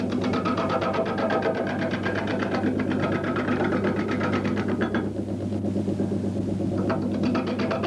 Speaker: Did you hear that change of tone, that noise? Now this tells me that the bark is probably coming a little bit loose.